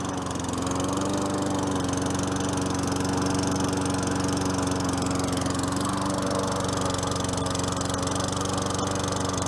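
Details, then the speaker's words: Free 4.5HP Tecumseh mower that sat about three years, running after carburetor work: a steady, even small-engine drone with no misses, knocks or surging, now sounding good. "better now it sounds good"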